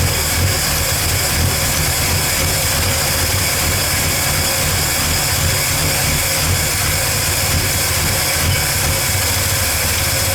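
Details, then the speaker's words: 1985 Ford F150 with the 300 engine, after a new carburetor and distributor with the firing order corrected, fuel filter leaking: steady, even idle with a smooth low rumble and no stumble or miss; the best it has run. "oh now it's buring like a kitten did you guys see that I just gave her a little you know hop too and that's the best I've heard this thing run"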